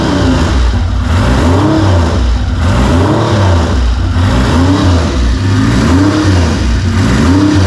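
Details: 1975 Triumph Trident T160 triple started with choke off on a very cold day, revving smoothly in repeated even swells, pitch rising and falling cleanly with no knocks or misses; sounds healthy.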